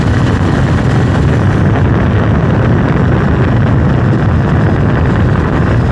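Deep, steady engine roar under acceleration with a rough, rumbling undertone; something's off but the cause isn't clear from this.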